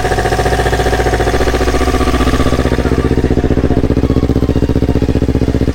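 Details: Yamaha R25 fitted with a Yamaha R3 engine, first start after the swap, borrowed Akrapovic exhaust: strong, even, deep and round exhaust pulses at steady idle, no knocks or rattles; R3 block sounds smooth and healthy.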